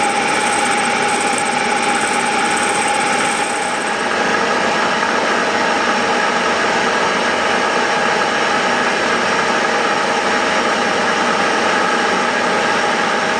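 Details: Milling a vee-block from dense old forklift-tine steel with carbide cutters, an angle cutter and coolant, taking 1 mm cuts: a steady cutting roar with an unsettled, ringing mid-pitched tone, louder as cuts deepen. Chatter from a cheap Chinese arbor's runout.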